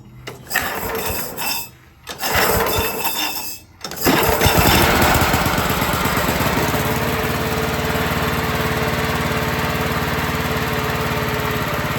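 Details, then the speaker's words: 1987 Toro Proline walk-behind mower engine, unrestored: a few rope pulls, then the single-cylinder catches and settles into a steady fast chug; it starts and runs, though the throttle needs adjusting. "because the motor starts up and runs so I'll do that real quick for you so you can hear it need to adjust the throttle a little bit"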